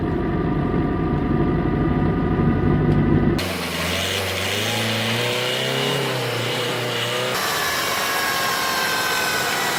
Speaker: También tienes que saber que la mayoría de los engranes de la transmisión contiene en la parte interna de manera transversal un valero de agujas como este. Cuando estos se dañan, se puede escuchar un ruido en la transmisión, algo así.